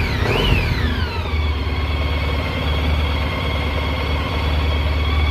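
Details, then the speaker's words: Honda ST1300 four-cylinder after new battery and brake work: smooth, even rumble with clean throttle blip and steady idle after, no knocks or rattles; running healthy. "I also redid the brakes so they're a lot happier this bike sounds phenomenal now yes"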